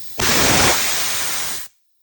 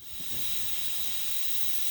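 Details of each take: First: Air compressor tank being vented by pulling the release valve, with the unit unplugged, before replacing a leaking quick-connect coupler: a loud, sharp hiss of escaping air for about a second and a half, then silence; tank air release. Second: Air compressor under pressure: steady high-pitched hiss of air escaping from a 1/4-inch universal quick-connect coupler, which is replaced to fix the compressor not holding air.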